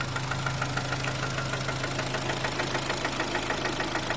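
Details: Kia Sportage 3 G4KD engine recorded before a major overhaul: steady rapid knocking, roughly two hundred a minute, over an even idle; clear internal engine knock.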